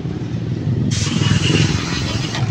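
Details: Honda TMX155 single-cylinder after rebuild with new base, side and cylinder gaskets to cure noise and oil leaks: an even, steady beat with no knocks or ticks under wind hiss; normal running.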